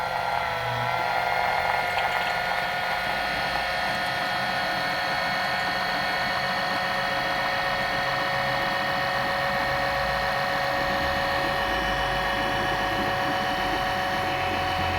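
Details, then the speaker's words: Small oil extraction pump sucking remaining oil from a forward sump on a KIA Sportage 1.6 petrol T-GDI, car raised at an angle, during an oil change; steady whining hum, running dry, then deepens into a rougher growl as it picks up oil. "So because the sump in this car is sort of forward, we have the car up at an angle, we're going to use a wee oil pump here to try and suck the remainder out. Yeah, there's plenty coming out. You can hear the note changing as you pick up oil."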